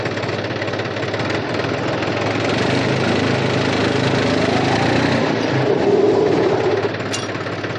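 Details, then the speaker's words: New Holland Farmer 35 tractor, oil brakes once loud from bad, low oil, now refilled with Atlantis UTTO: engine steady at idle while braking forward, no grinding or squeal; brakes quiet and normal. "बिल्कुल भी आवाज नहीं है अब हम इसको आगे मैं ब्रेक लगाएंगे"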